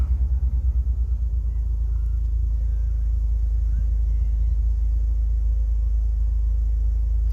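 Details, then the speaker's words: TM-square turbo Suzuki Swift ZC31S back on the road after three months of repairs: a low, even rumble that settles into a steady, smooth idle with no misses or knocks. Gauges are good, water temperature 70. "so all of the gauges are good hear that and look at a nice perfectly then smooth idle"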